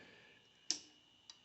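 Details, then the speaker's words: 1980 Triumph TR7, newly installed replacement flasher unit: crisp light clicks about 0.6 s apart, left and right turn signals cycling at correct speed, unlike the too-fast old unit. Normal turn signal flasher clicking. "so that's the left hand side seems to be click click clicking and the right hand side seems to be click click clicking"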